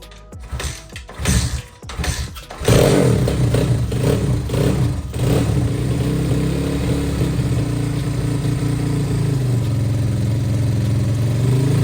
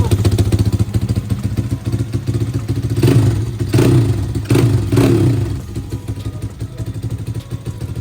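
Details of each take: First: Apollo RFZ pit bike after service, carb not yet tuned: starts after a few cranks, then steady popping idle with a raspy, loud exhaust note; engine makes no odd noise, noise is the leaking silencer. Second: Apollo RFZ single-cylinder pit bike before carb tuning, low idle, no smoke: crisp even firing, four throttle blips returning to steady idle, no knock; engine healthy, exhaust note still ugly.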